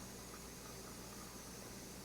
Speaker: but it is still not ready because this is more like water sputtering and not actually steam